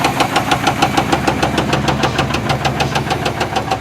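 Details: 1973 Chevrolet C10 Custom 10, 350 V8, 4-speed, at idle: steady deep knock about three per second over a smooth idle; sound unchanged with plug wires pulled, cause unknown.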